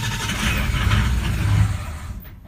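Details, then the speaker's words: 2004 Ford Powerstroke diesel truck with a long crank when cold, cold start with a scan tool watching ICP and IPR: a low, rough chug that fades and dies; IPR maxes out while low oil pressure is suspected. The engine stalls after the cold start, cause unconfirmed. "There ain't no oil in it. Here we go. Still no low pressure oil, and it's dying."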